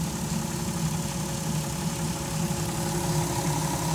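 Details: 2002 VW Jetta V6, 158k miles, after P0322/P0321 codes and CPS replacement with no further codes: steady idle with a faint fluttering pulse and thin constant slow whine, source not found.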